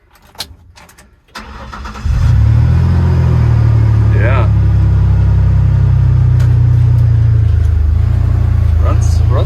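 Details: 1951 Ford F1 truck body on a 2001 Ford Ranger V6: engine cranks briefly, catches at about two seconds and settles into a steady, even idle with no knocks or misses.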